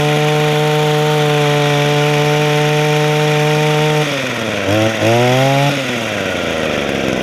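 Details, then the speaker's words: Echo two-stroke hedge trimmer after Walbro carburetor rebuild, new primer bulb and fuel lines; steady idle then clean throttle blips, runs okay but could run better, owner thinks it is a little worn out: normal running. "It runs okay, but like I say, it could run better. I think it's just a little worn out. It'll do the job."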